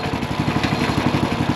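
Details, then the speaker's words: Ridgid RD80770 3800 PSI pressure washer small engine after carburetor work, tank flush and reverse-flushed fuel filter, running with no load, slightly smoking; even, quick pulsing beat at steady speed, seems fine. "I don't know, man. It seems like it runs okay. Okay. So, obviously that's not under a load"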